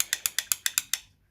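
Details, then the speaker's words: Wolf lawnmower switch box micro switch pressed by hand gives crisp, identical clicks, so the switch works; the lever is suspected of no longer pressing it down. Normal micro switch click. "this one if we press it you can hear it click so in all probability there is an issue of this lever that doesn't press this down"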